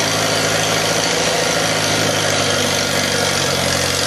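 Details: 1948 Farmall F Cub, 6-volt system on a 12-volt battery, cold start at about 30°F: steady, even idle with a smooth beat and no knocks, misses or hunting; normal cold idle.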